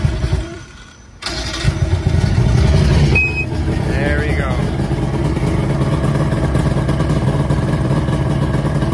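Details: Johnson/Evinrude outboard cold start after testing the primer system: short crank, then it catches promptly and settles into an even, steady two-stroke run with no stumbling or dying.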